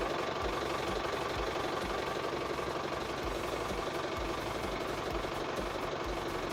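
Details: Office tractor's diesel engine, running after repair of a no-start and battery not charging problem: steady clatter at an even beat of about three per second with no misses or stumbles, running normally.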